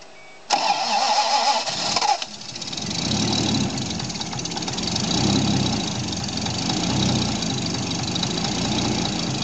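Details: Toyota 7M-GTE rebuilt engine bought without machine shop receipts: starter cranks, engine catches, then idles with a dull rhythmic knock under the exhaust; owner suspects rod knock, not confirmed.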